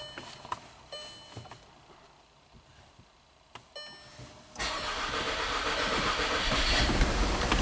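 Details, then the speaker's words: 2012 VW Tiguan 2.0 TSI turbo direct-injection, 4WD, 117,000 miles, code P0087: starter churns, engine catches briefly and falters without idling; crank-start-stall from low fuel rail pressure, 10 bar actual versus 48 desired, with the in-tank pump audibly running. "So customer's right, it's a crank start stall. So we're not worried about anything except for the fuel pressure right now."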